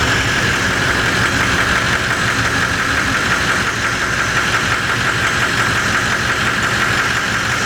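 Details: V8 diesel Toyota LandCruiser after starter motor replacement: steady, even diesel clatter at a constant speed with no stumbling; running normally.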